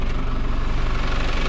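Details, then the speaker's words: Isuzu TFR van, recently acquired, temperature normal after a roughly 100 km test drive, no leaks, heard from outside: steady even low rumble with no knocks or misses; smooth normal idle. "ก็เป็นเสียงเครื่องยนต์นะครับอ้าเสียต้องยนต์เรียบเนียนดีนะครับ"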